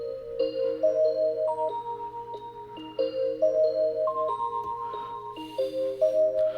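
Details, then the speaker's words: Corroded chiming clock after repair, speaker reconnected, volume halfway, run past the hour: bright tinkling tune over soft steady ticking, every note clear with no drag or dropouts; chime works properly. "it's a pretty fancy clock um I hope I don't get H with uh copyright on this one"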